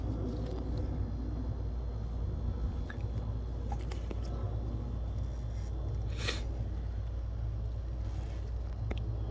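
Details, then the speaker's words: 2016 Honda Accord after repair of a hard-start problem traced to low high-pressure fuel pump pressure: starts easily into a low, steady, even idle with no knocks, misses or stumbles. "It starts up like a dream, you're good to go."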